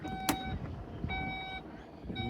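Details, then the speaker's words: 2015-2016 VW Passat Alltrack power tailgate after latch replacement (3G0827506D with 3G0827506F) to fix automatic closing: steady warning beeps over a soft motor hum as the boot rises; opens perfectly. "Now let's see if we can get it to work again. I'm just going to open the rear boot."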